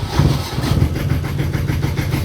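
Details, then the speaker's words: Boat inboard engine after rewiring, cranked in neutral: it catches quickly into a low, steady rumble. Oil pressure and charge lights go out, and the alternator was confirmed charging with a multimeter; normal start and idle. "good. Both lights have gone out, which means the engine is already charging,"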